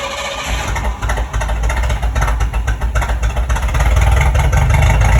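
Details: 1973 Mustang V8 fitted with a new single-wire distributor, plug wires, spark plugs and a 600 cfm Edelbrock carburetor. It gives a deep burble with steady firing, revs briefly, then settles into an even, smooth idle.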